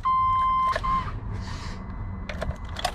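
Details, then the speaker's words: V8 van with a Costco Type S jump starter charged to 100%: sharp steady beep, short second beep, then only clicks and handling noise and no cranking; engine will not start on the jump pack. "not gonna start. Dead. So this product is not gonna work after I charge 100%."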